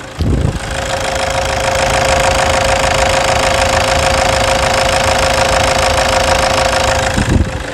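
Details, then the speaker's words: Toyota Hilux 2.5 diesel, 2008, after engine wash, full service and new radiator fitted: even, steady diesel idle with regular light clatter, no misses or odd knocks; engine runs smooth, normal idle. "E olha que beleza moçada Olha que esse motorista redondinho"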